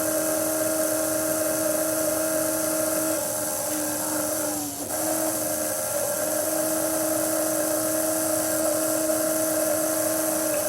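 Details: Small Hall-effect pulse motor, switched to the Wireless Joule Thief output from a stored capacitor charge after stalling on plain capacitor voltage; clean steady singing tone with one brief dip that recovers at once, spinning fast and evenly.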